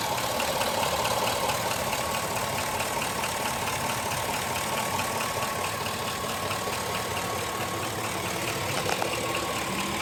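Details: 2005 GMC Sierra at idle: sharp, regular tapping a little over twice a second on top of the engine note; engine knock, cause not yet found.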